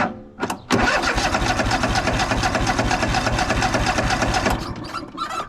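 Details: Craftsman DYS4500 riding mower, 26 hp Craftsman Courage engine, sat over a year; after cleaning off a gummed-up part, with reduced throttle, even cranking about four seconds, never catching, then stops; fuel starvation.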